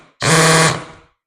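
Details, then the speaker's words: Hammer drill in hammer mode, briefly run into wood as a demonstration of the masonry setting: short, loud, rapid buzzing rattle from the hammer action, unlike the clicking heard when driving screws. "see that weird noise that it's making that is the hammer that's a little different than the clicking that it makes putting the screw in there"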